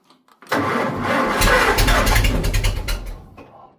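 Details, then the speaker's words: Farmall 400 tractor with replacement starter and solenoid: strong churning crank for about three seconds, then winds down; engine turns over but does not start. "Ooh, the starter actually works. Yeah, now we're not going to start."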